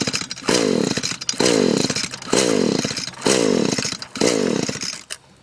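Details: Echo SRM-210 two-stroke trimmer with fresh two-stroke fuel, about 150 compression, wet spark plug, stop leads tampered with; five rough rasping pull-start cranks, engine never catches; only ever started on WD-40; cranks but will not start.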